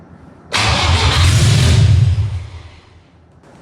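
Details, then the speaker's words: Toyota 18RG engine in a Celica, first start on carburetors with jumper leads: cranks, catches and roars briefly, then dies within two seconds once the starter is released; won't keep running on its own. "That's on the starter. Oh, that was just on the starter. When I take the starter off, It just dies."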